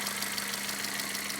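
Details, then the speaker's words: Freshly overhauled Toyota Corolla 4ZZ engine after the chain tensioner was tightened, so the chain noise is gone. Light, quick ticking over a steady idle; measured valve clearances are wrong, some too tight and others too loose. "Это из- за того, что шум от цепи исчез, но, похоже, механик неправильно отрегулировал толкатели, потому что я только что измерил несколько"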